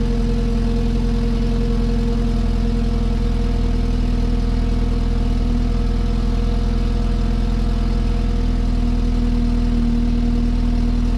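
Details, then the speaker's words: 2016 BMW 328i F30 exhaust idling after replacing the active sound flap actuator clip: steady low drone with no metallic rattle; rattle fixed. "as you can see the exhaust sound is far less rattly i don't hear any coins or nothing at all in the exhaust"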